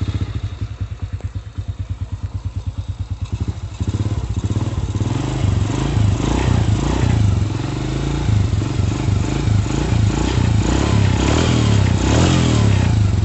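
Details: Honda Astrea/Supra single-cylinder after repairing a loose camshaft bearing seat without machining: slow, even beats picking up into a steady smooth run, no knocks or ticks; engine now sounds quiet and healthy.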